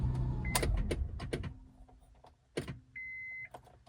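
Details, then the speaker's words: 2002 Acura MDX: relay-like clicks and warning chimes as electrics cut out and the engine dies, returning when the key is touched; owner suspects bad ignition switch or wiring harness, switch being replaced. "See if it just shuts off. There it goes. It just died. See how everything's dead? And then look, I just barely touched the key and everything came back on. Yeah, it just keeps dying."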